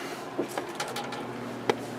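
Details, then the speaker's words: Early-80s Sears box fan with plastic Marco motor, on low speed with thermostat at coldest, drawing current but only giving a steady electrical hum and a few clicks, no blade whoosh; the motor is seized and was marked non-working in 1991. "so we are pulling amps and it is just humming so the motor is just seized up"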